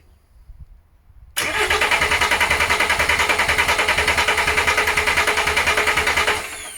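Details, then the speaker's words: VW LT35 diesel van laid up four years, engine needing a rebuild, new starter fitted: even starter cranking at about three beats a second with no catch or firing; will not start until the fuel is bled. "obviously as i said four guys i'm new to these engines so a lot of you might be looking going what on earth is he doing he won't run with nowhere for me to i don't know but like i said main thing is getting there getting the fuel up first"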